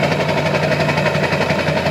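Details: Diesel at idle with modified HPOP (high-pressure oil pump) clatters with a pulsing, uneven beat instead of running smoothly; rough idle, pump modification suspected, not confirmed.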